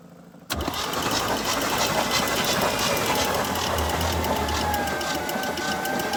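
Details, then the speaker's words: 1980 GMC Sierra Grande K1500 that sat 22 years, water had entered through an open intake port: even cranking at about three beats a second that never fires; battery suspected to be dying, unconfirmed. "Battery might be dying."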